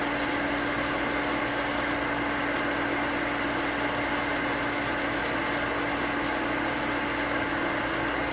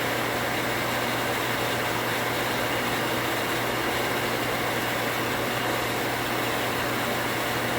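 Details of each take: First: New 1 hp cast-iron booster pump (replacing a worn-bearing Sta-Rite): steady hum, then once pressure builds, sharp clicks about twice a second as the pressure switch chatters (short cycling), before the pressure switch rewire. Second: 240V water pump after pressure switch rewire to a new switch cutting off 10 psi higher: steady, unbroken motor hum, no switch chatter or short cycling; contacts activated at 45 psi while pressure built.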